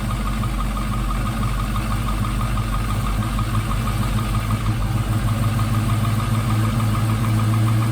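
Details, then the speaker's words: Early Gen 3 LS engine swapped into a 1956 Chevy truck, first cold start on the modified $79 LS1-to-Vortec harness; hollow, diesel-like knock over the idle rumble at firing rhythm, which is cold piston slap that fades once it warms up. "these early ls's have a lot of piston slap when they're cold almost sounds like a [Music] [Laughter] [Music] diesel"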